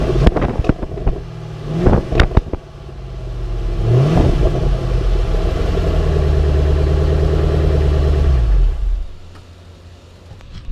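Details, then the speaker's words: Ford Mustang GT V8 with the factory exhaust refitted after a bent hanger was straightened, checked for rattle; a few clicks, then it catches, flares and settles into a steady, even burble with no rattle: normal idle after start-up. "I don't know if you can tell, but there's quite a difference. Sounds a whole lot better with the muffler off, so I really want to get an exhaust put on this here pretty quick."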